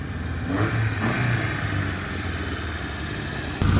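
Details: 1971 Honda 1300 Coupe 9S, air-cooled 1300 four-carb dry-sump engine, 4-speed, after carb rebuild and ignition cleanup, parking-lot drive: deep, even note pulling through the revs while passing, no knocks or misses; healthy.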